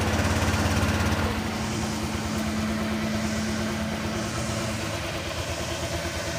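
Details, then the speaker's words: Honda Click 125i V2 scooter idling with an even, steady putter that no longer stumbles or stalls after adjusting the idle to cure its low idle and engine dying. "mga tol okay na yung takbo niya bale hindi na siya namamatayan ng ano ng makina"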